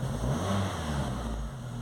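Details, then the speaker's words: VW Gol/Saveiro, cold morning start: engine catches then dies, and on acceleration revs roughly and unevenly like a bad plug lead; faulty coolant temperature sensor, tested by substituting a good sensor. "aí eu vou acelerar você Verê ó como ele trabalha ruim tá"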